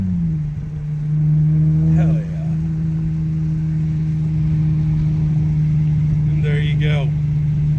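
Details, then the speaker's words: 2006 Hyundai Tiburon 2.7 V6 five-speed, misfiring after engine wash; water in the spark plug wells, reassembled. Road test after fix: steady even drone under way, no stumbles or skipped beats; firing cleanly on all cylinders. "so basically water in the plugs what a easy fix"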